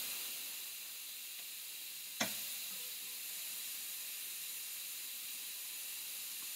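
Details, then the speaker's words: Steady high airy hiss with one sharp tap as newly connected house water pipes fill with water; pressure pushing air out, normal and will stop. "- A je normálne, že vydáva tento hluk? - Áno, áno. - Prečo? - To je tlak. - Ale stále to bude robiť hluk? - Nie, ale pozri! Je to preto, že potrubie sa musí naplniť."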